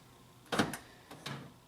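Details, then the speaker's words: 2000 Honda Civic LX sedan, pressing the door lock switch: only a pair of weak, uneven clunks rather than a firm stroke; left rear door lock actuator failing intermittently, front lock also acting up. "up yeah you can see front ones working consistently that rear one worked a couple times and then it stopped working but I can hear it and look at the front one doesn't even want to work now either"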